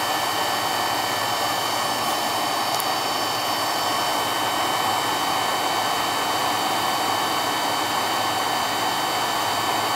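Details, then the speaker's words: Carlin EZ1 oil burner, previously running rough from lack of maintenance: steady, even roar and constant hiss with no pulsing, surging or shaking. It runs much smoother. "all right so let's see what happens now how it runs she ain't got the shakes no more oh a lot smoother this doesn't have the parkinson's no more"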